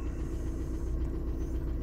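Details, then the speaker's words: 2000 VW Jetta TDI diesel, warm, after head install with used piston and rod; VCDS timing reading jumps but in range: steady low diesel idle rumble, even, no knocks or misses; normal idle, starts runs drives. "right in the range so there it is starts runs drives a few little issues to work out on"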